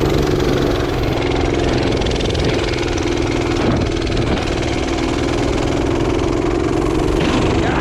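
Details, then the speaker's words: Revived minibike, small single-cylinder, after strip-down, cleaning and new parts: settles into an even, steady idle with constant note and no stumbling; idling smooth. Owner suspected an earlier noise came from the gas tank. "You know, look at that. Is a good built bike right there. Just look at that, idling, smooth."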